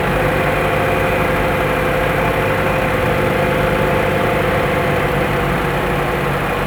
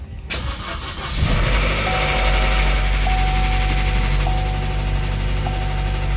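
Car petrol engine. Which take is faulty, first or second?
second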